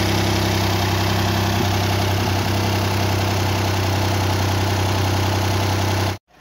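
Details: 2014 Hyundai Santa Fe after engine repair with new water pump, parked for a few months: steady even idle with a smooth low rumble and no knocks or ticks; engine sounds healthy.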